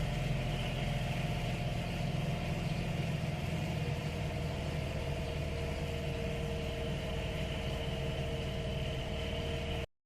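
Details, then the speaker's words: Mazda RX-8 after a loud pop accelerating hard in third, warm idle with clutch pedal held down: hard metallic whine and grind in the upper mids shifting in pitch; throw-out bearing broke apart inside housing, damaging the clutch, won't shift into gear. "time I hold the clutch down listen to that yeah something's wrong there something's very wrong"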